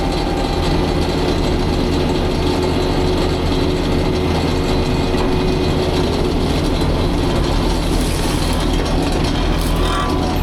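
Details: Fecon forestry mulcher after rebuild/overhaul, freshly greased, at a test brush pile: heavy even drone from the spinning rotor, no knocking, grinding or surging; bearing temps cooling while breaking in; normal operation.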